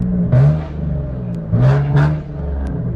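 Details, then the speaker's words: Hyundai Genesis Coupe after a temporary fix of a spun bearing, back on the road with no check engine light. Two sharp rev blips settle to a steady idle with no knock or tapping: the bottom end sounds healthy. "Probably shouldn't be revving it so hard, but hey, it's back, baby."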